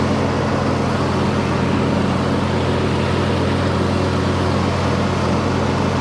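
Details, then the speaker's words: John Deere D130 riding mower after electrical and deck repairs, cranked at idle: even steady low drone with no misses, knocks or hunting; smooth healthy idle. "We'll go ahead and crank it up at idle. Headlights work."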